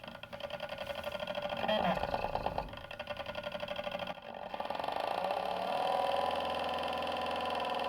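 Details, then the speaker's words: About 125 W brushless motor driving a Morse taper 2 grinder spindle through a 3D-printed gear and belt, on a power supply: steady loaded whine with fluttering buzz, drawing about 3 amps; likely too much belt tension, suspected. "Perfect. So that was drawing like 3 amps. There's likely way too much belt tension."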